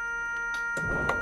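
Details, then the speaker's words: 1991 Jaguar XJS V12 convertible, Teves ABS, ignition on to prime the high-pressure side before bleeding the rear brakes after hose replacement: steady high warning buzzer with low whirring of the ABS pump building accumulator pressure; normal priming. "and the pump is running right now it's hard to hear with that buzzer"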